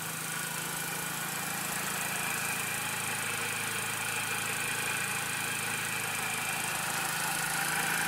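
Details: Steady airy hiss over a quiet even idle, like air drawn in somewhere, after the throttle body and BPV were removed, cleaned and refitted; owner suspects a vacuum leak, not from the intake, unconfirmed.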